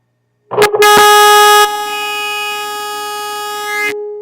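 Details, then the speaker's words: Signal-injected test tone clipped onto the 6K7 IF tube control grid (top cap) of a radio with no broadcast-band output: steady clean ~400 Hz tone from the speaker without hum, so IF and audio stages pass signal; fault lies in front end. "hey what do you know there's a tone coming through the radio speaker"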